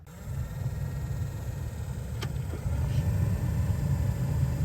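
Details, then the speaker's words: 2004+ Saab 9-3 with manual climate control, cabin blower on position 1 after the blower motor resistor was replaced to stop the fan running constantly: a steady, even rush of air and low hum, a little loud, with no squeal or scraping. "Okay, so here's the fan. Okay, and let's go maybe to position 1. Yeah, so the fan is a little bit loud."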